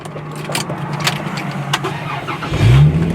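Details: V6 roadster starting: brief cranking whirr, catches cleanly at about two and a half seconds and settles into steady idle; healthy start.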